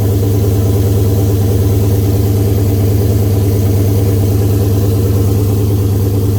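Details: Oldsmobile 442 V8 first start after rebuild (new cam, pushrods, oil pump, valve springs, heads, gaskets following broken valve spring, bent valve, scarred piston); 92 psi oil pressure; steady even idle, firm low rumble, no knocks, ticks or misses; normal idle.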